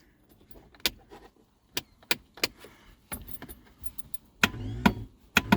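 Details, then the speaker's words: Reliant Rialto pickup on its first start attempt in a decade: irregular single starter clicks with no cranking. Only an orange light is on and nothing else works; the owner suspects the inertia starter head is seized and not engaging the flywheel. "We seem to have a very weak starter. And nothing's working in the car."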